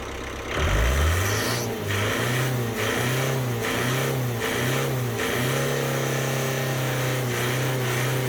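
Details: 1993 Ford Transit camper, 2.5-litre diesel with no power and black smoke, after repair; cranks and catches, five or six sharp blips settling to even idle, initial smoke clearing; normal idle and revving, power untested.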